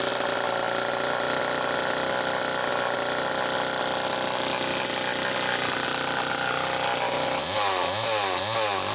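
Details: 1974 Homelite XL-2 chainsaw test run after air leak repair: high, raspy two-stroke buzz holds steady, then revs swing up and down near the end; runs cleanly and responds well, idle not quite as owner would like.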